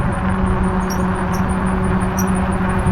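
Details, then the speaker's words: Hidoes B6 electric bike towing a loaded old repainted trailer on a range test with hills. A thin, high chirp repeats quickly and evenly over the motor hum, keeping pace with the wheel; the owner suspects a failing trailer wheel bearing. "I can hear that thing squeaking his head off. Hope I'm not losing the wheel."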